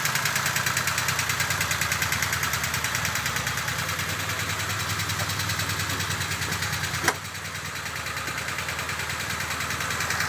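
Steady idle carrying a fast, fairly regular tapping about three per second above the engine note; some internal noise, cause unclear.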